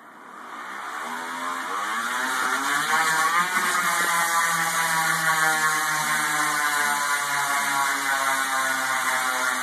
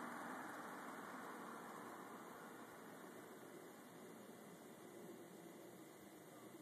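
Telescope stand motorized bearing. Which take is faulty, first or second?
first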